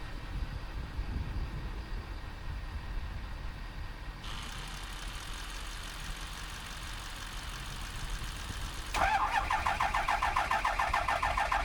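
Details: 2007 Ford F250 6.0 Powerstroke diesel, cranking on jumper cables from another truck: even starter chug about three beats a second picking up pace, never catches; crank no start from high-pressure oil standpipe and dummy plug.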